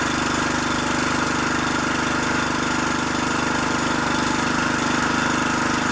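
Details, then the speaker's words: Troy-Bilt pressure washer with Briggs and Stratton engine running cleanly with a steady, even beat of about three and a half pulses a second under rain hiss, after freeing a stuck carburetor float; spark plug also replaced. "okay good man i can't use it like that the float on the carburetor was stuck as an easy fix"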